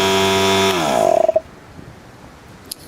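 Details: Loud, harsh buzzing drone from the old Harbor Freight 3 gal 1/3 HP 100 PSI oil-free pancake compressor pump, winding down within a second of switch-off; it had stopped building pressure and runs excessively noisy.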